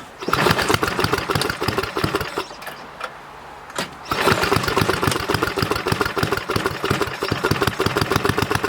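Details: Donated Snowflite snowblower small single-cylinder engine, compression a bit low, fresh gas, first start by hand; chugs fast and evenly, briefly drops out then catches and keeps running.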